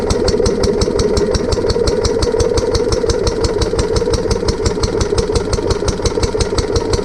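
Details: Barn-find Lister D petrol engine on a trolley with an Aerograph compressor, remounted after first start-up with fuel leak fixed and new plug: single-cylinder thump about three beats a second, a little uneven, shaking partly because the new coach bolts aren't sitting well.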